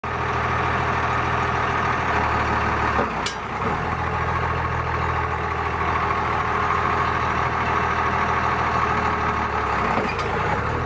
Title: Cummins clicking noise